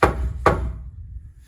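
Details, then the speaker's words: Subaru Sambar kei truck that won't start after winter storage: two sharp hand knocks on the fuel tank ring hollow, then a dull thud. The tank sounds nearly empty though the gauge reads almost half; suspected, not confirmed. "i don't know about you guys but that sounds pretty empty to me"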